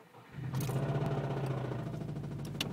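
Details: 2009 Subaru WRX that ran out of oil and spun a bearing cranks and catches, settling into a rough idle with a deep, regular rod knock.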